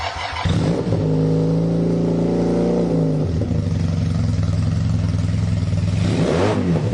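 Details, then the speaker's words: KZ440 single-carb motorcycle after cleaning the carb: revs up and holds, then crackles and pops on deceleration. Popping is reduced after a further adjustment. "that feels better [Music] we're still popping on the comedown [Music] but we can fix that"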